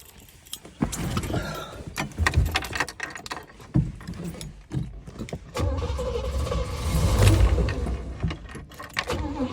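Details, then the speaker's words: 1966 Pontiac LeMans 326 with a Rochester 2-barrel carburetor and a sticking float, backfiring earlier: uneven cranking bursts around three a second, no catch; pumping the gas flooded it. "I was gonna flood again I don't know why I'm pumping the gas means it's flooded"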